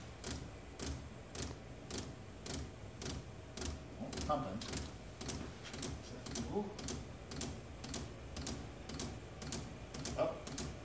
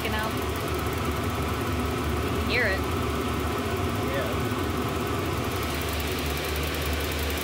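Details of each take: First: Shop heater built from three 5 kW Chinese diesel heaters on temporary setup: fuel pumps tick evenly about twice a second over a low rumble, no burner roar building; heaters give up without lighting, possibly not fully primed. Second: Shop heater built from three 5 kW Chinese diesel heaters on temporary setup: after lighting on the third attempt, a steady, even combustion rumble with no misfiring, popping or surging; burning smoothly.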